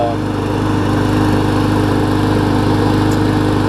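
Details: Murray mower with a 21-inch blade after a replacement engine swapped onto its deck (original shaft sheared): a steady, even single-cylinder buzz with no misses, knocks or surging; normal running.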